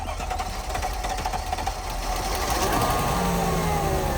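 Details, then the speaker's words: 2002 Mercedes S430 sat for about 8–10 years, first start after new fuel pump, on jump: catches and settles into even, steady idle with no knocks or misses; normal idle. "There we go, guys. The vehicle starts, so the fuel pump revived this beauty."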